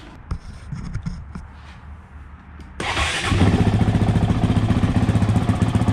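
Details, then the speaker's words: Honda CRF450X belonging to Cade, just reassembled after a valve adjustment that found the left side out of spec and the right side good: short crank, catches right away and settles into a steady, even single-cylinder idle; normal start. "happy with that. Doesn't turn over and over and over to get started."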